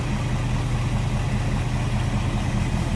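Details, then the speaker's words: 1955 Ford Fairlane Crown Victoria V8 with Edelbrock carb and front pusher fan, idling, heard at the front with hood open then at the rear; steady deep throaty burble, even firing, no knocks or misses, mild exhaust; normal healthy idle. "Sounds good. Slip around to the back, maybe hear it a little bit better now. Like I said, no crazy exhaust, just a nice little deep throaty exhaust note."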